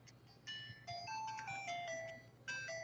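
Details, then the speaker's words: Game Boy Advance SP (AGS-001 frontlit) after speaker replacement and contact fix, previously faulty sound: clear, steady chiptune with no dropouts, crackle or buzz; normal speaker audio. "the sound is working on the system now so we're good to go"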